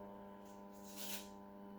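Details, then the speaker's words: Vevor welding positioner turning at its slowest speed, carrying 26 kg of cast iron (rated 25 kg): a steady, low, even groan with no surging. It sounds like labouring but is normal and does the same with or without load. "You can hear it probably groaning, which it sounds like it's labouring, but it's not. It does that with the load on there and without load on there."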